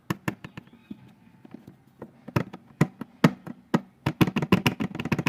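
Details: Honda PCX scooter, light uneven plastic clicks and knocks about two a second from a loose battery access cover; the owner later fixes the cover.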